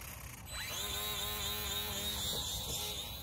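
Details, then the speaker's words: HobbyZone Sport Cub S 2 RTF RC plane in flight at about 50% throttle: thin electric motor whine rises, then wavers and dips unevenly instead of holding pitch; the flight battery is run down after about 8 minutes. "Hear how it's sputtering? Yeah, it's dead."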